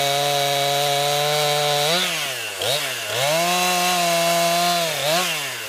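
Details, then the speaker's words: New 50cc chainsaw, about ten pounds, cutting wood from a skidded pile on a cold day: high steady whine bogs briefly as the chain bites wood, recovering quickly each time. Owner finds lots of power for 50cc; normal healthy cutting. "well folks my first impressions is it has a lot of power for only fifty CC and it cuts pretty good for sure"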